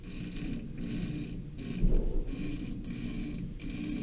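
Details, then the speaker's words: Modine BA130SBM garage furnace blower, pre-lubricated motor: short repeated chirping squeaks rising and falling as the pulley is turned by hand, loudest at the motor pulley; the drive belt is the source, fixed by motor and belt adjustment. "well what I did find was it seems like it's the belt that's making the noise if I rotate it a little bit you get the noise"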